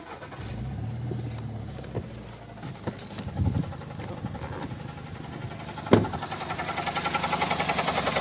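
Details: VAG 1.6 MPI (BSE) petrol engine (VW/Skoda), cold start. After it fires, a fast light tapping rides over the cold idle in time with the engine. Knock on cold start; the mechanic points to something catching, exact cause unclear.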